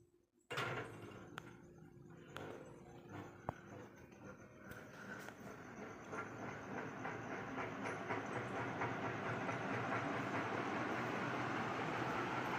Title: Puja Hi breeze ceiling fan is repaired 🙂 but there is a problem 😔 the fan wobbly and very noisy😞